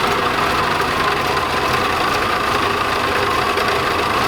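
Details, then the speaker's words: 1986 Chevrolet Camaro Iroc-Z V8 at idle with a busy, gritty rattle and steady mid-pitched whir from a failing alternator, about 14.5 V at idle dropping to 12.7–12.8 V under load; quiet after replacement. "it's making some noises that i really know that they shouldn't make to be quiet but i can hear that thing rattling"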